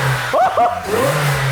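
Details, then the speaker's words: Alfa Romeo V6 started after a new supercharger belt was fitted; the engine catches and blips with a steady whirr riding over the idle, so the supercharger is spinning freely and making supercharger noise again. "it's moving oh my God it makes super charging noises again"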